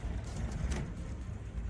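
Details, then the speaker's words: Suzuki Samurai (SJ413/SJ410), cold start on a cool day: lumpy, uneven low rumble that hunts instead of settling; runs poorly cold but better once slightly warm; owner suspects the choke, unconfirmed. "this thing hasn't been wanting to run real great cold you hear that I'm going to have to look into I don't know if it's the choke or what"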